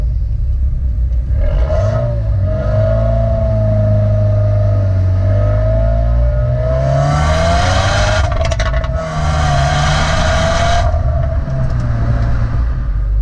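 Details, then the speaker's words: 2015 Subaru WRX: revs rise and fall, then a short burst of pops and crackles as the throttle closes; normal overrun crackle. "because one time I was driving around in my car and I realized that the exhaust crackles pops and that was the best day of my entire life"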